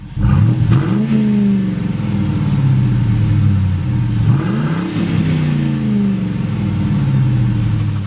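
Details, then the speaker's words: 1998 Mustang GT V8 just started after fuel pump replacement fixed the no-start: smooth idle, two quick clean blips settling back without stumbling; healthy engine revving. "now how did that sound that sounded awesome"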